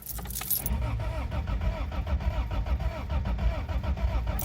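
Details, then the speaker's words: Toyota Tercel 4WD with 4A-C engine swap, cold winter start with choke deliberately not set; erratic, stumbling cranking then a misfire; owner doesn't think it's an exhaust leak, cause undiagnosed. "hear that really uneven [Music] crank and we got a [Music] Miss but I don't think that's an exhaust leak"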